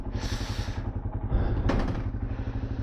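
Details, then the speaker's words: Yamaha Serow (the "Dusty Serow") single-cylinder motorcycle idling; a steady, even low thump with regular firing pulses and no knocks or misses. Runs like a top, normal idle. "But yeah, I mean, she runs like a top."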